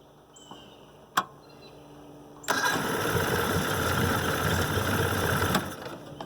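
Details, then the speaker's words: 1969 Evinrude 55 hp outboard, started without choke after fixing erratic running, newer push-to-choke ignition switch: short crank, catches at once, settles into steady even idle; clean start. "well I mean you just barely hit the key on this sucker"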